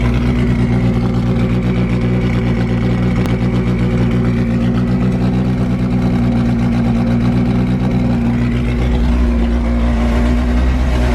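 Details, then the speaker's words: Forged Toyota 5E-FE with big camshafts, first startup; the big-cam engine is much louder than the other one. Loud, lumpy idle swelling through a few rev blips and settling back cleanly: healthy. "Big cams that are in the back here make the engine so much more louder than the front."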